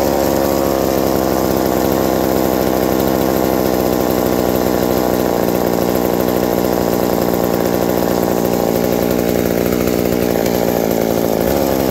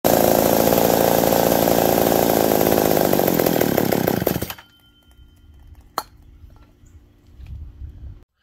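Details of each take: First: Reassembled McCulloch 790 MC101 two-stroke chainsaw with an ignition chip and a Walbro WB37 carburetor on a homemade adapter, bar and chain fitted: steady even buzz with no surging or stumbling; idle drops slightly with the chain fitted but runs cleanly. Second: McCulloch 790 MC101 chainsaw during a cut: raspy high idle that stays up then cuts out; leaning out, later traced by carb-cleaner spray to an intake gasket air leak.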